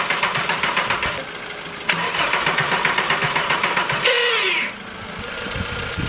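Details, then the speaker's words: VW Golf Mk4 during an engine rebuild, cranking after three days of work: the starter turns steadily at about four beats a second with no firing, because the ignition had not been plugged back in; crank, no start. "Basically, we hadn't had the ignition put back plugged in, so yeah, here we go."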